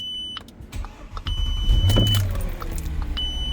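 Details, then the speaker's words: Audi Q7 with intermittent no-start, no dash lights, from a steering column fault; control board repaired, programmed and temporarily connected. Short chime, brief starter whirr with brake pressed, then the engine catches and settles into a low steady idle; starts cleanly. "So, this car started."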